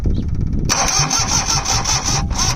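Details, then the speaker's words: Perkins 103-10 diesel repowering a Cushman Truckster, cranked with the foot holding the engine kill (fuel cut off) to see whether the heavy smoke clears: steady, laboured starter churn and whine with no firing as the battery weakens. "Let's see if I can hold my foot on the engine kill and crank it. See if the smoke goes away."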